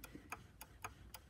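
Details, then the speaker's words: Bernina 1A sewing machine running: light, even ticking about four per second from the rotating hook; dry rattle meaning it needs cleaning and oil at the bobbin case, after which it quiets. "And so this machine will actually have a little bit of a rattle noise to it. When you hear that rattle noise, open up the bobbin case door, give it a little bit of a swipe, and give it some oil, and it will quiet down right away."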